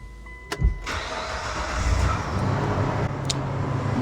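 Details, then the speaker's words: 2002 Mitsubishi Montero (Gen 3) after replacing cracked exhaust manifolds: quick crank, catch, steady even idle with no exhaust puttering or ticking, previously loud putting leak sound gone; normal start and idle. "This thing used to sound like a big truck, lots of exhaust sound, lots of that put sound, and now it's smooth. Oh, this is way better."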